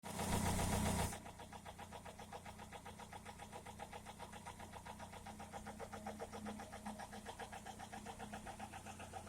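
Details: Toyota Corolla E110 with 4E-FE engine. After a loud start, a sharp, even tapping at about four per second rides over the idle and stays steady throughout: engine knock, cause unknown.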